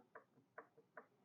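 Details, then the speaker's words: Free stationary Kohler K301 engine being turned over on the starter, giving a light regular clunk about every 0.4 seconds; source unconfirmed, owner's first guess is excessive rod-to-crank clearance. "so she turns over pretty good now the clunking I don't know if you can hear that or not some places that doesn't"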